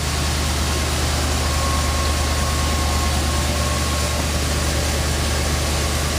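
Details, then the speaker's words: 1966 Ford Thunderbird V8 with rebuilt heads, freshly charged battery, alternator charging about 14.5 V: deep, steady rumble with even pulse under hiss, no misses or ticks. Smooth, normal idle. "this is that baby purr huh rebuild heads make a big difference it's never run this smoothie it's got a great sound to it"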